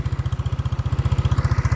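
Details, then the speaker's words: Mio scooter, single-cylinder, started easily, idling; even low thumping at about fourteen beats a second, no misses or knocks, quiet and steady, no smoke or howl, healthy idle. "เงียบเงียบแล้วก็นิ่งครับไม่มีควันครับไม่มีหอน"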